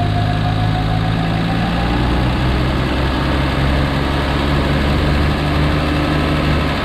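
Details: 1951 Studebaker with new makeshift exhaust using a Corolla muffler: steady, even, smooth deep engine note shifting slightly when blipped, no knocks or misses; slight surging when idle speed turned all the way down; otherwise healthy.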